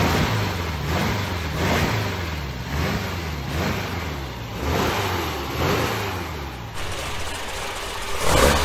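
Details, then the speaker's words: 1966 VW Type 3 Fastback air-cooled flat-four, mileage unknown, first start after new ISP West performance exhaust with header wrap, J-tubes and over-the-top muffler; revs blip and settle with deep clean rumble, no rattles; sounds healthy, best it's sounded. "sounds pretty good i can smell the uh the header wrap warming up and shrinking"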